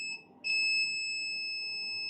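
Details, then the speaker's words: Multimeter continuity beep at 0 ohms on the 3.3 V capacitors near a laptop motherboard's startup controller, showing the 3.3 V rail shorted to ground after the second MOSFET. "checking here you can hear the multimeter is beeping and this is zero zero ohms"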